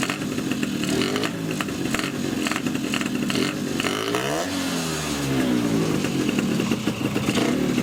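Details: Two-stroke with Polini 177 cylinder, Malossi X360 reed manifold with original Malossi reeds, PHBH 30 carb, fuel pump, Megadella V5 exhaust, no air filter, first start: harsh raspy intake bark rising and falling with throttle; reeds surprisingly very loud.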